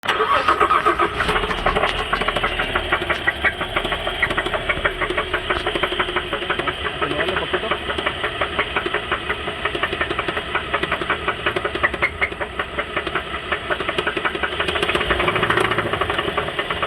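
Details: 2011 Buick Enclave 3.6 V6: steady sharp knocking at idle that grows louder and quicker when revved; began after front passenger wheel briefly locked and skidded, worsening over five blocks of driving.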